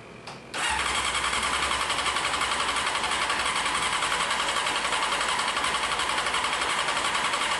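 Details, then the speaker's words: 1995 Honda CBR F3 first start after sitting, carbs possibly leaking, plugs soaking wet, open pipe: loud raw idle pulsing about 220 per minute, slightly uneven; over-rich running on first start. "Plugs are so wet right now. [ __ ] Too wet, dude."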